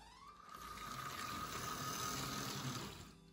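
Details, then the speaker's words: Roughly 40-year-old Athearn Blue Box Trainmaster FM H-24-66 model locomotive on a test track after restoration (old oil removed, new lube, wheels cleaned, glass tweaked to stop a rattle): a smooth, even high-pitched whir with no rumble. Normal running. "it was at the beginning and it doesn't have that Rumble sound anymore"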